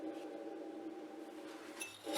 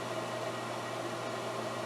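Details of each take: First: Pellet stove blower motor being replaced, spun by hand with the side panel off: a dry, gritty rasping hum with knocks between spins as its bearing fails. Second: Garage pellet stove after installing a new blower motor to replace the noisy original: blower kicks on with an even, quiet whir and low steady hum, no grinding or bearing whine; much quieter than before.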